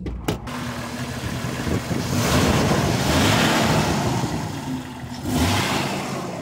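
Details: Jeep engine at 250,000 miles after reinstall with new seals, water pump, oil pump and timing chain: cranks, fires and revs cleanly through a couple of swells, then settles, no knocking or rattling.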